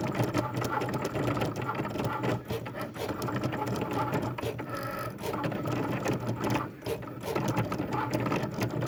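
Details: Cricut cutting machine: harsh buzzing and rattling that surges and dips with carriage moves, much louder than normal cutting; cause unclear.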